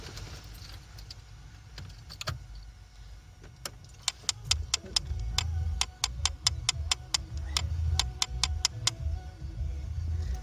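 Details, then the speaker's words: Vauxhall Vectra with ignition on: rapid sharp clicks from behind the glove box caused by the faulty heater recirculation flap actuator/switch; the fix is replacing it with a used part. "yeah that is what is causing the clicking noise"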